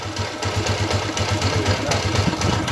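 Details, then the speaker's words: Honda TMX155 single-cylinder after replacing timing gear and cam follower: even, steady thump at idle, earlier rough tinny rattle and ticking gone; normal idle. "nawala na po yung ah ano latlat sa loob okay yung magaspang na tunog lata at saka yung lagitik niya nawala na po"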